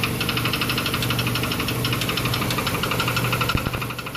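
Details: 2006 Chrysler Sebring steady idle with sharp metallic knock about four times a second from under the hood, already fairly serious; cracked flexplate located with a metal probe.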